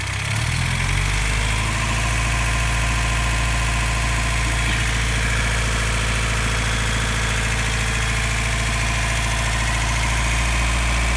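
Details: 1990 Toyota Pickup 22RE with LCE head, ceramic pistons, first start after rebuild, thermostat apparently not yet open: steady, even four-cylinder idle, smooth low rumble, no knocks or ticks; engine sounds healthy warming up.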